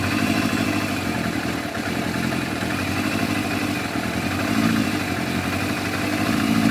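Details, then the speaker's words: Yamaha FZR1000 four-cylinder with rebuilt carburetors, just started before synchronising, tickover raised slightly: lumpy, uneven beat; carbs out of balance. "There you go, 60, 57, 64, 58. So they're definitely out."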